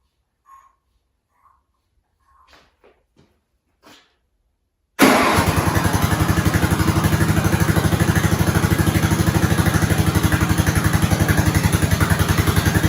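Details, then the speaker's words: 1970s snowblower rescued from scrap, small single-cylinder engine started on slow throttle with choke on and primed, with a new fuel line. Quiet clicks, then an even, steady idle with regular firing pulses, a normal healthy run. "That sounded good. I'm going to let it sit for a while."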